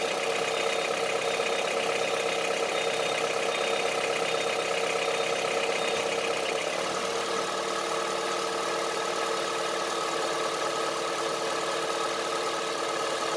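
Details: Honda CR-V III 2.4 engine at idle: steady idle with a hard, diesel-like rattle of knocks, about two to three a second, over the engine; engine knock at idle.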